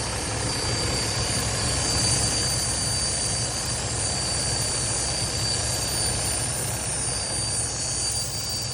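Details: Freightliner Cascadia DD15 idling: thin, steady high whistle as air leaks from the engine fan solenoid's exhaust port, keeping the fan on and draining about 20 psi from the secondary air tank; bad solenoid, replaced.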